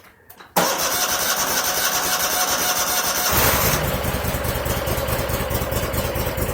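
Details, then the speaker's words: 2001 Cub Cadet 3184 tractor, Kohler CH18S 18 hp OHV engine, 848 hours, before tune-up, oil half full: cranks, catches, then an uneven, lumpy idle; rough running, sounds fuel starved, suspected clogged air or fuel filter. "Sounds really fuel starved, like it's got a clogged air filter or fuel filter."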